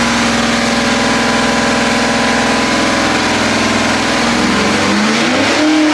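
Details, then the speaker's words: 406 small block Chevy on engine dyno, pump gas, Jegs ported aluminum heads, stock cam, dual-plane intake, ATM carburetor; steady high-rev full-throttle roar, then smooth drop-off as throttle closes; pull felt a tad rich; normal. "We made that last pull and so I thought it was a tad rich."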